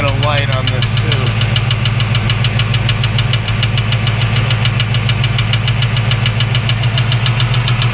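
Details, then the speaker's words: 1989 Ford Mustang GT after the starter stayed cranking from a stuck solenoid: steady idle with a fast regular scraping tick just over two per second; owner suspects starter or flexplate touching the block plate, unconfirmed. "i've had this problem i don't know if it's a starter problem or if my flywheel is touching the the block plate but the sound is worrisome"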